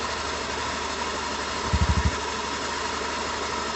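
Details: Honda Beat fuel-injected scooter idling with a steady, rough bubbling rumble like water about to boil in a pot; unaffected by turning the rear wheel, so CVT ruled out; crankshaft bearing suspected, not confirmed.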